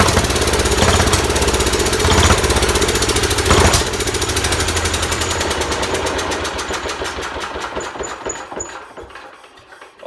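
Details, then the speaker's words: Large Kohler K331 single-cylinder engine on its second start, muffler just fitted, running on sprayed carb cleaner: strong thumping with a few sharp carburetor backfire pops early, then the firing slows and dies away. "Seem to like carb cleaner is backfiring out the carb a little bit, but holy crap, this thing runs good."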